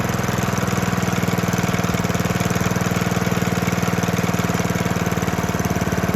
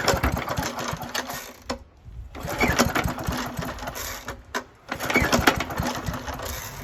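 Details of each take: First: 1972 Hayterette mower, very worn with hundreds of hours, cold engine on fresh fuel after 6-7 months unused: strong, even single-cylinder beat at steady speed, no misfires or hunting; hard to start but runs strong. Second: 1972 Hayterette mower, very worn with hundreds of hours, cold start on fresh fuel after 6-7 months unused: engine catches, runs briefly, dies twice with silent gaps, then fires again; hard starting needing repeated pulls.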